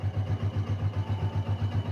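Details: Old Yamaha Vixion motorcycle after repair, following a rough kletek clatter blamed on a scored block; fixed with a new block. Idle is now even and steady with low pulsing and no ticking or knocking, running clean.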